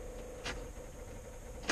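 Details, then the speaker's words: CAT 304 CR excavator with an intermittent starter fault: lights come on and the glow plugs cycle, but only two sharp relay clicks over a faint hum follow, with no crank, as if the battery were dead. The 15 A and 50 A fuses check fine. "Not cranking, like it's struggling with a dead battery. The lights come on, you hear the glow plugs and the"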